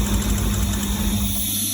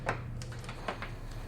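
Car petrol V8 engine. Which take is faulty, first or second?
first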